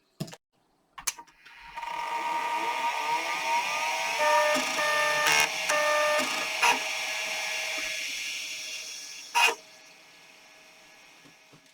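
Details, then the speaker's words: 33-year-old Apple 20SC 20MB external SCSI hard drive with stepper-motor head actuator, first power-on for a Macintosh LC: whine climbs as platters spin up, sharp seek clicks, then even hum; normal healthy spin-up. "you can see it has a stepper motor not a voice coil to move the heads this means the performance won't be great but in the uh LC in general isn't a speed demon so I think he'll be fine I'll just let you hear the lovely noise that this drive makes"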